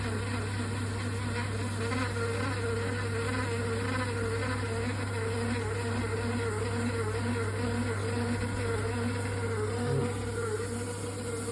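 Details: Triton Envi electric shower giving a loud, constant low electrical buzz that never changes; a component defect is suspected, cause not yet known.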